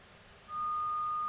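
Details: NAD C370 amplifier under repair for speaker relays delaying then chattering off, fed a signal generator tone on speakers A with one speaker: a clean steady ~1 kHz tone holds with no hum, crackle or dropouts; normal output.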